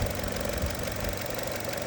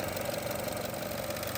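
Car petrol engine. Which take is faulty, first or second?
second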